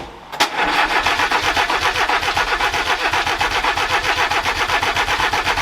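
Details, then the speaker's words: Renault 4L with prepared Cléon 1108 cc engine, just after cylinder head refit, accelerator cable reattached and pedal pumped: steady rhythmic cranking about four beats a second, no firing; later apparently traced to valves not sealing well. "ben ça démarre pas je ne sais pas pourquoi et c'est chiant il faut regarder tout ça de près"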